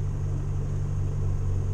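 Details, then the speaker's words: Morris Minor just converted from electronic ignition back to points, set by eye at about 15, just started. Deep, even burble with a steady beat and no misses or knocks; healthy, smooth idle. "And he's sounding alright."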